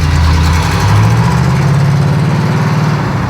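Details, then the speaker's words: 1937 Pontiac junkyard-rescue V8 with new carburetor, mixture just richened: deep, steady, even idle with smooth low rumble, no misses or knocks; smoke is automatic transmission fluid burning off the header from an earlier cooler-line leak. "Woohoo! Sounds good."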